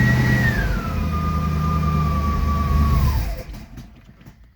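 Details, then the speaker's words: 1963 Studebaker Avanti R2, first start after storage: the engine fires and revs briefly, tone sagging, then dies. It is stalling from fuel starvation at the carburetor, not yet drawing fuel up. "so if we can get fuel stay up in the carburetor i think we got this thing going"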